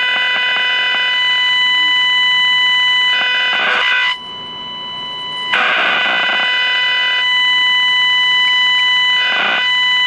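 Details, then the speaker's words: Packard Bell 35 AM tube radio: steady high whistles and buzzy bursts come and go, no station. Strong injected IF signal gets nothing through; coils and tubes check good. Squealing oscillation, cause not confirmed. "this radio is a trip this radio is just it's weird it sounds like there's some activity"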